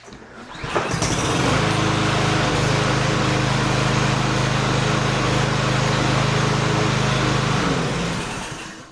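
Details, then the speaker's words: Cub Cadet SC300, Honda-clone 159cc engine, first pull after carburetor rebuild, air filter off: catches quickly, steady even buzz about six seconds before shutdown; starts and runs cleanly. "So, that was the first pole after we reassembled everything. That sounded pretty good."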